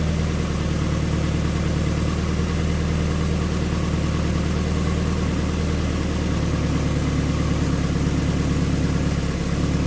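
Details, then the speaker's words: Mazda Miata at idle after overdue maintenance with spark plugs tightened down correctly; steady, even low rumble with no misses or knocks, smell reduced and idle sounding slightly better than before; normal idle. "To me, it's the smell is less, probably because the spark plugs are actually tightened down correctly, and the car sounded actually a little bit better while idling too."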